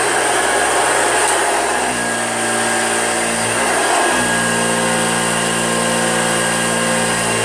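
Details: Old Hoover Junior upright vacuum, recently repaired at a shop, running with a steady motor whirr and a thin squeak whose pitch wavers as it moves; the squeak is a squeaky wheel.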